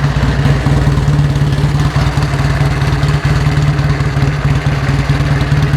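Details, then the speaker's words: 1949 Indian Scout motorcycle: steady, loping V-twin idle with even low thumps about two per second, no engine knocks or rattles; healthy engine, rattling only from loose unstrapped battery case. "The engine sounds good. Yeah. It does. I'm not hearing any kind of different rattles and things."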